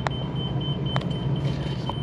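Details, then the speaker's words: 2021 Sunseeker Classic 3010DS Class C motorhome, 7.3 engine, 12,178 miles, parked with the leveling-jack warning beeping constantly. It has a smooth, even low rumble at steady idle with no misses or knocks, a normal idle. "and folks this 73 sounds [Music] awesome"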